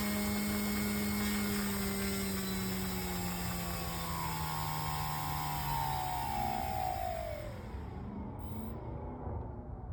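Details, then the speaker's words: Electric motor for a UAV spinning down after power off: high whine dropping steadily with a buzz and a rattle underneath; source of the rattle unclear. "So, I heard three different noises. There was that buzz. There was that rattle."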